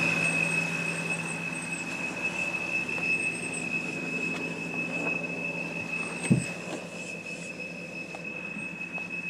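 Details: 2007 BMW 328i automatic, parked at idle, with a constant high-pitched teapot-like whistle. Idle usually flutters at 600–700 rpm, revs jump on its own when braking, and it stalls at stops. Suspected vacuum or intake leak, possibly the crankcase vent valve; not confirmed.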